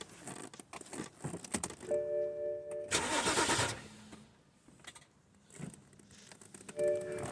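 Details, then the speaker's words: 2010 BMW 528 with N52 Valvetronic engine that sat a long time not starting: the key turns, the starter spins under a second and cuts out on its own, and the engine never catches. A buzzing, stalled-out sound is heard as cranking stops. "this one cranks and stops and let's let's show you the symptom then maybe I'll keep you out here so you can listen"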